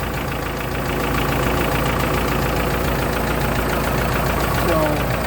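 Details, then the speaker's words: Long-sitting S10 pickup after fixing a vacuum leak: steady idle with no hunting but a fast, busy ticking clatter over the engine, louder than normal, like tired valve gear; cause not confirmed. "well i took care of her vacuum this engine's a little loud"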